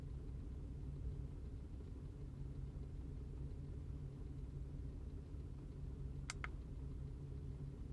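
Low, uneven idle rumble that never quite settles into a steady beat; fits a misfire at idle.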